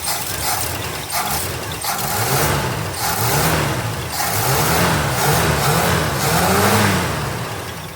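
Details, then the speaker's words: 1966 Ford Galaxie 500 390 FE V8 after a 4-barrel carb and intake manifold swap, first fire, still warming up and smoking heavily: climbs smoothly through quick throttle blips and settles back cleanly; healthy throttle response. "It's got pretty good throttle response. Sounds good."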